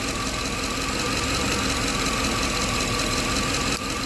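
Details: 2007 Chevy Tahoe 5.3 V8, 310,000 miles, P0300 misfire, coil-pull test at idle: steady idle with faint uneven lope, no change when cylinder 7 coil is removed, so cylinder 7 is already dead.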